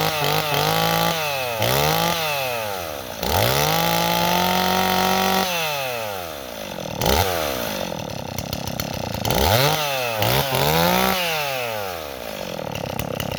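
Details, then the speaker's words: Stihl 026 chainsaw revving up and falling back repeatedly, climbing slowly and blubbery: running slightly rich; bogs in wood. "okay neighbors our sauce running a little rich but the problem is it Bob's in wood"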